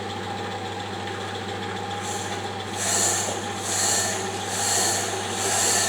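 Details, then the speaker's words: Diamond wheel with face runout on a D-bit/Deckel-clone cutter grinder, being dressed against a kerosene-wetted oil stone: hissing scrape comes and goes about once a second over motor hum; intermittent contact from runout until it runs true. "you can hear it starting to cut intermittently when it first comes into contact so i'll stop yapping so you can hear"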